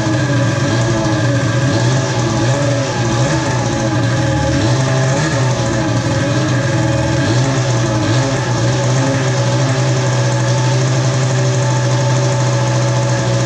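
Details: Polaris ProX2 700 two-stroke, after about a dozen start attempts: buzz wavers and stumbles unevenly with no knock or rattle. Rough running; owner suspects bad, stale fuel.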